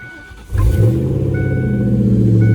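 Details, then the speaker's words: 1996 Ford Mustang GT convertible after fitting a better battery, in neutral with parking brake set: quick catch on the starter, then a strong, even, deep V8 idle that settles right away, no misses or knocks; healthy start. "Now that's what it's supposed to sound like."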